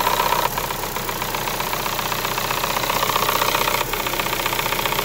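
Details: Chevrolet Sonic 1.8 with floating idle and an exhaust camshaft code (P0366), cam sensors already replaced. Sharp ticking about four per second at idle from the top end.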